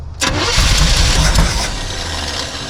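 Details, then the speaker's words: Abandoned 1976 Chevy K10, former mud truck parked about 10 years, first start: starter spins the engine briskly and evenly for about a second and a half, then the engine settles; starter sounds perfect, ignition timing suspected slightly off. "That starter sounds perfect."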